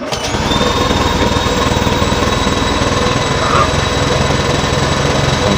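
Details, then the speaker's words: Honda Vario 125/150 running after fuel pump service, pressure near 3 bar (spec 3 bar): steady engine with a thin constant high whine over it, which is just the fuel pump rotor; nothing wrong. "Kalau untuk suara yang seperti sempitan jangan khawatir, karena itu suara rotaknya."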